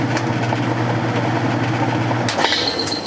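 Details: Whirlpool top-load washer in spin mode with a lid-switch bypass installed. Lid lifted and spin stops, then bypass flipped. Steady low motor hum with even drum whir, a click partway through, then a faint high tone; spin continues smoothly.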